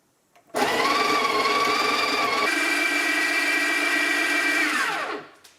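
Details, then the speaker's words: Breville Smart Grinder Pro after cleaning and repair: steady high-pitched screech over the motor whir for the whole grind, jumping pitch midway, fading as it stops; screeching persists, fault unresolved. "well I still making like that screechy noise I don't know if you could tell from from the the camera but listen to this"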